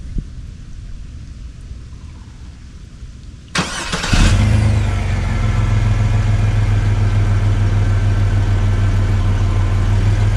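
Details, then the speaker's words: Chevy S10 after the exhaust was fixed, replacing the factory 2 in system with two restrictive cats and muffler: short crank, then a steady, quiet low rumble at idle with no rasps or leaks; healthy exhaust. "It has a really nice rumble to it. And again, it's very quiet, not loud at all."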